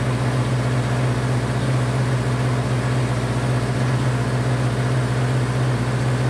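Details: Honda CB500 four-cylinder, first start after an attempted liquid engine rebuild, choke on, running on all four, idling a little over 2,000 rpm before a retest of compression: steady fast idle hum with no dips; idle is too high, cause not confirmed.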